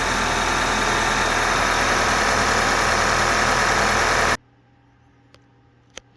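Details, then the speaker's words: 2010 Audi A4 2.0T Premium Quattro running as-is before a compression test: steady idle with a slightly uneven beat about four times a second; P0303 cylinder 3 misfire, sluggish running, later traced to a stuck-open cylinder 3 fuel injector. "Complaint was that cylinder 3 had a misfire and was running sluggishly, so we're going to do a compression test on it."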